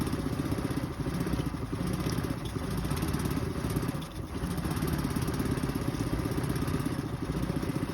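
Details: 2023 Suzuki 9.9 EFI outboard idling unevenly, the beat wavering and dipping as it stumbles; a rough idle that comes on at random times.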